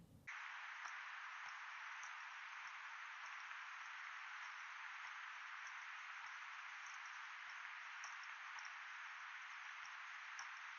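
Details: Sony WH-1000XM3 right earcup with noise cancelling on and no music playing: steady hiss with faint sharp clicks about every 0.6 seconds, a soft creaking/clicking first noticed on a bus; earcup clicking.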